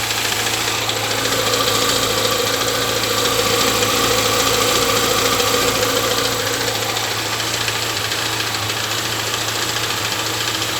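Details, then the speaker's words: Chevrolet Niva, 6000 km, first cold start after winter storage: a light, regular tapping about two per second at idle, seemingly from under the valve cover, gone when revved. The owner suspects oil too thin (Petro-Canada synthetic). "И появился стук какой-то. Пробег 6000. Вот смотрите сейчас. И похоже, что это из-под клапанной крышки идет"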